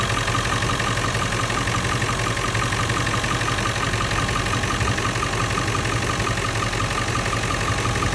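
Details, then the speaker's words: 1997 Ford F-350 7.3L Powerstroke diesel, 164,000 miles, idling after a new alternator replaced the one with a fried bearing and the belt was refitted; even, steady clatter with no chattering; normal idle, fixed. "sounds good that's it"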